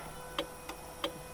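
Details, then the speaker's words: VW MK3 VR6 with the alarm bypassed but still flashing: after starting it idles abnormally high with sharp, evenly spaced clicks about three per second, like a relay chattering. The cause is not found. "so you hear it clicking still and now it's ising really high and the alarm is still flashing"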